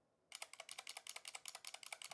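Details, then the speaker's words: Exent mechanical keyboard: repeated modifier key presses give a sharp, hollow clack and slight rattle, about eight per second. The stabilizers seem unlubricated, like the rattly spacebar; cause suspected, not confirmed. "let's see how about the other modifiers yeah yeah I don't think these I don't think the mods are lubed at all ooh"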